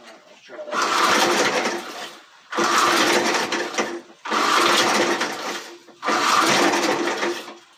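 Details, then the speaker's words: Antique J C Penney push mower, four-horsepower engine, tries to start: four short rough bursts that catch for about a second and a half, then die each time; owner suspects the carburetor and plans to pull it. "i don't think it's going around on this carburetor so we're gonna pull it"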